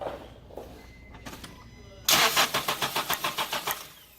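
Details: Car with ignition coil removed for spark testing: starter turns the engine over steadily at about seven beats a second, but it never catches. Crank no-start.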